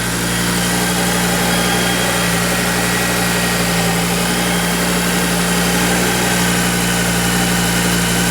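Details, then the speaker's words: Audi RS3 five-cylinder engine from a crashed Skoda, test-run before swapping into an RSQ3: steady, even idle with a smooth low drone and no knocking or banging; the engine works normally and the ECU seems to work. "long yeah nice sounds good engine sounds good no knocking no banging runs good ECU seems to be working"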